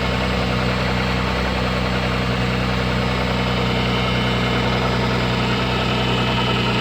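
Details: MG ZS 180 engine at steady idle: light, fairly regular knock about three times a second over the engine hum; engine knock, cause not determined.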